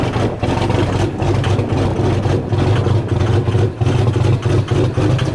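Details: Cummins diesel just started in freezing weather with grid heaters disconnected, camera at rear of truck: heavy idle with an uneven, lumpy beat and dips in the rhythm, stumbling; rough cold idle.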